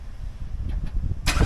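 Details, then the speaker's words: 2015 Chevrolet Camaro SS (5th gen), hot start after adding a ground wire: sluggish, uneven low churning for over a second before catching and roaring. Cranking is no faster than before, so the heat-soaked starter still cranks slowly and will be replaced. "okay so it still cranked a little bit slow I wouldn't say it cranked any faster or slower than what it was doing before like I said I knew I was gonna have to buy another starter"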